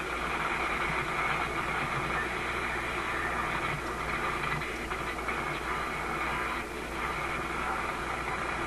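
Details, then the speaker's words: RCA A25 vacuum tube shortwave radio during RF alignment, band switch in second position: only steady hiss and crackle over a low hum, with no station received as the set is swamped by noise. Receiver interference noise. "And no wonder you can't receive anything. The thing is busy receiving this noise."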